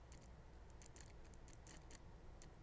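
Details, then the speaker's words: RC drift car steering servo chattering while it should hold still, irregular faint rapid ticking and buzzing, stops when steering right; chatters less in gyro setup demo mode and about twice as much with gyro connected, suspected signal issue; servo not getting hot. "let's see I got one more trick up myle here if I go in the system let's do set up unit demo it's chattering less"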